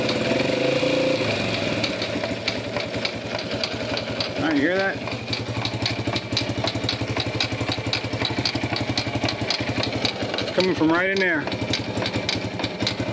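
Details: Circa 1991 Yamaha Champ YFM100 shaft-drive ATV idling and revved in gear, rapid fairly regular clicking without moving; carburetor previously replaced; broken drive shaft sleeve slipping, not the transmission.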